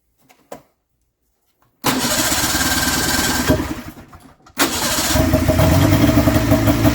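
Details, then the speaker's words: Polaris snowmobile with new fuel pump, spark confirmed continuous to both plugs: rough buzzing start that sags and nearly stalls around four seconds; runs when fuel poured in, so owner thinks fuel; runs briefly then stalls. "I still saw spark right till the end. It died, so I still think it's fuel."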